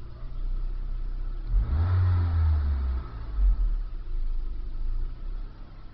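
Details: 2001 Nissan Sentra SE 2.0 with a rough idle: a low, uneven rumble that swells and sags. A new fuel pump helped only slightly; replacing the weak mass airflow sensor fixed it.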